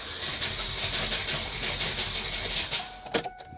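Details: 2008 Chevrolet Cobalt that sat in a field and was reportedly seized, cranked on a good 12V battery: quick, even cranking at about three beats a second that never catches, with light, easy turnover pointing to low compression; owner suspects a broken camshaft.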